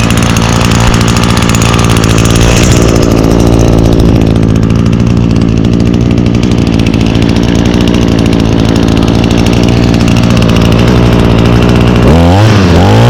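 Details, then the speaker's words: Echo two-stroke trimmer with i30 recoil starter, 50:1 fuel mix, choked and primed: fires straight up and holds a steady, crisp buzzing idle before revs drop; runs clean, normal running. "look at that started right up like always"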